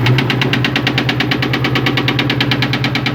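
A heavy, steady knock about nine times a second rides over the V8's idle, loud and deep: classic rod knock.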